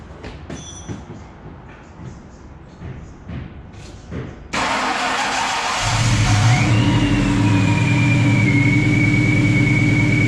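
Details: Mustang 4.6 V8 just fitted with a Procharger supercharger, upper coolant hose and air filter not yet finished: quiet, then the engine fires and settles into a steady, even idle with smooth blower whine; normal idle.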